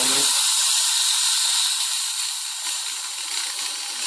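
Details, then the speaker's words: Ponte Vecchio Lusso 1 espresso machine, boiler first reaching 1.2 bar with false pressure. Steam wand opened: loud steady hiss easing as gauge drops to 0; normal start-up venting before the boiler reheats. "So if we just open the steam wand now, you'll see that the pressure gauge is going to drop down and down to 0"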